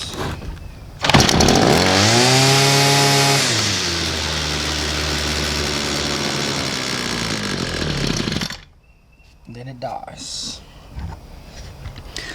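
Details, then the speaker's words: Homelite two-stroke string trimmer starts at half/full choke, runs high then sags rough and uneven for several seconds and cuts out; owner suspects fuel starvation, later fixed by replacing gas tank, fuel hoses and fuel cap. "so that's what the complaint is on this thing it starts up and then it dies"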